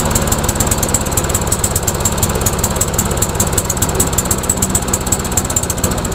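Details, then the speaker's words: MTD Yard Machines mower with a Briggs engine, after a head gasket replacement: a small single running with slow, even, loping pulses and a rattly top end. Idle speed is too low, so a tab is being bent to raise rpm. "running well let's try increasing the RPM so we got this little tab in here bend it out let's see if that'll increase the RPM"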